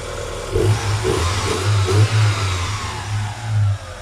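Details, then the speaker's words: Great Wall Hover (Great Whale) engine after resetting jumped timing belt, warming up: clean revs settling back, smooth pull, no knocking or slapping; runs evenly and differently than before repair. "Работает достаточно ровненько. Сейчас прогреется. Кстати, работать начал по-другому."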